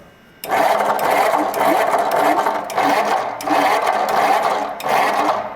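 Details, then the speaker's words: Flathead V8 from a barn, likely from a truck, cranked on a homemade run stand; repeated cranking bursts with an even whirr and no firing; one valve works, another hung up or very slow: stuck valves, heads must come off. "Oh, there we go. Well, definite stuck valve. How stuck? Looks pretty stuck."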